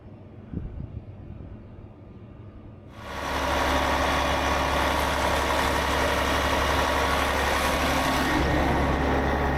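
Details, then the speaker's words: 2009 Newell coach with a CAT C15 diesel, coding low fuel pressure and high soot. After a fuel filter change with the filter pre-filled with diesel, it starts and settles into a smooth, even idle with a steady low drone; the low fuel pressure light went out. "Once we cranked the coach up and ran it for a few seconds, the light went out for the low fuel pressure."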